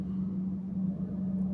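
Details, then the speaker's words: Skoda diesel after pump-injector rebuild: steady low drone with uneven tak-tak tapping knock caused by a dislodged, broken timing belt tensioner; valves likely bent. "Gergi yerinden çıkmış. Triggerin gergisi yerinden çıkmış."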